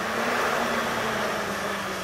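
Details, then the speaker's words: Worn motor bearing in a VW EuroVan electric radiator cooling fan, bench-tested by jumping it from a battery pack (brown positive, red negative): steady whirring hum with a gritty, rough edge, fan being replaced. "Don't be crazy, but you can hear the bearing. I was just spinning in there. So that's bad."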